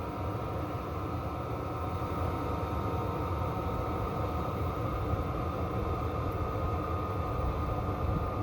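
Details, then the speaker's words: 12V 5kW Chinese diesel parking heater with 3-button LCD, running after startup: steady, even roar with faint constant whine, getting quieter, no surging or rattles; running normally. "there goes you can tell it's getting quieter"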